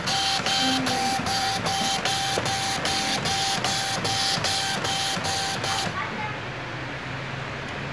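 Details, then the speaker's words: Epson LX310 dot-matrix printer, intermittently jamming head carriage: head chatters in steady clicks about 2.5 per second, then goes quiet as carriage jams fully at right side and won't move left; print output also poor. "Nah, terkadang bisa normal, terkadang juga macet. Dan sekarang ini total macet di sebelah kanan dan tidak bergerak lagi ke sebelah kiri."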